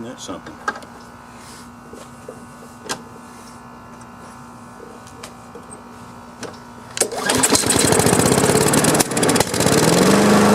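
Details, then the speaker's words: Free Craftsman self-propelled push mower started on choke without starter fluid: quiet clicking, then a sharp pop and a fast chugging run; the removed plug is very dark, and it is then replaced with a new gapped plug. Backfire on start from fouled spark plug. "backfire. Okay, well, it is running. I'm going to take the spark plug out and see what that looks like. Wow, look how dark that is."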